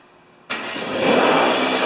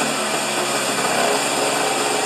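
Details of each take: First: Husqvarna snow thrower after governor repair, rpm set at 3800: starts instantly without choke and settles into a steady, even high-speed run; healthy engine holding governed speed. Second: Husqvarna snow thrower small engine with a faulty governor, racing at about three times proper rpm. Shrill, steady, high-pitched scream with no dips; overspeed from the governor.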